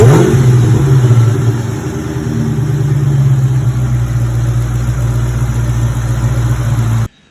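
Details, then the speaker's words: SVT Terminator Mustang Cobra accessory drive after replacing the bearings in all three idler pulleys: a steady, even hum with no whine, chirp or rattle; the earlier noise is fixed and it is now very quiet. "ay so changed the bearings in all three of them listen to that [Music] super quiet super quiet love it"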